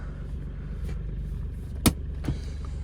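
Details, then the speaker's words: Mahindra Bolero Neo diesel, 2025 model, about two years old with roughly 23,000 km, just started: even, low diesel rumble with one sharp click, no knocks or misses. Engine running smoothly at idle; normal diesel idle. "ये देखो गाड़ी start होती है। तो ये क्या vibe दे रही है देख रहे हो बढ़िया?"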